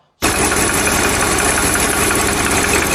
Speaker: 是听到发动机传来哒哒哒的敲缸声，别犹豫，赶紧停车熄火。